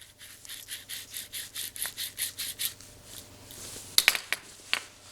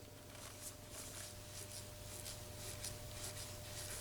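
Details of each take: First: Jaguar F-Type (X152) manual transmission removed: a dry, gritty scrape pulses about four times a second as the old worn clutch release (throwout) bearing is spun by hand; it was replaced with a new bearing/slave cylinder. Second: Jaguar F-Type (X152) new clutch throwout bearing and slave cylinder spun by hand after fitting: almost silent, only glove rubbing and faint room hum.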